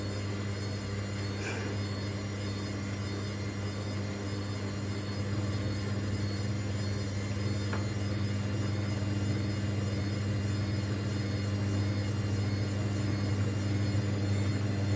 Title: Washing Machine was Unbalanced, Horrible Rattling Noise